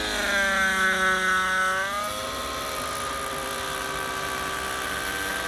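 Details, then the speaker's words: Nova Rossi Icarus 91 nitro engine, 30% fuel, in a Gaui NX7 helicopter, second break-in flight: bright screaming note sags and dulls at about two seconds then holds lower; bogging, owner suspects rich mid-range mixture. "That sounds rich mid. So I think I am really rich on the mid because it sounded like it bogged down and choked on all that throw fuel when it hit."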